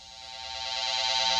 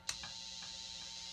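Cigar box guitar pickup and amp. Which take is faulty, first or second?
second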